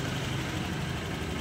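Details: Honda Click 125 scooter at 27 (unit unclear) on the clock, after replacing the failed ignition coil that caused crank-no-start: smooth, even single-cylinder idle with no misses or rattles.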